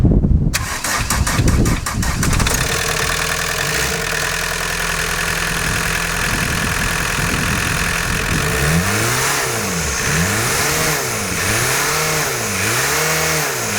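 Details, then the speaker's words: 1990 VW Golf MK2 GTD diesel, after replacing the rocker gasket and leaky hoses to cure smoking: cranks, catches, idles and revs repeatedly with no rising turbo whistle, still some smoke; turbo not audibly spooling. "there's still a bit of smoke i still can't hear the turbos spooling up"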